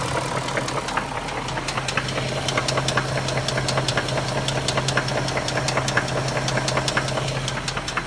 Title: BMW X5 - 4.6is M62tu Engine Knock (part 2)